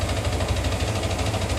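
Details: Yamaha R15 engine idling after an engine rebuild still makes a light, fast, regular ticking over the exhaust beat; owner asks which part it comes from, source unknown.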